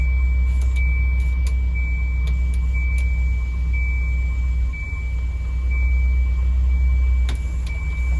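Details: Revived Volvo 240/244 idling with a steady high hiss from a climate-control vacuum leak behind the dash, loudest in defrost and also in floor and recirculate modes. Replacing the 10mm input line, check valve and 3mm lines apparently made the leak worse.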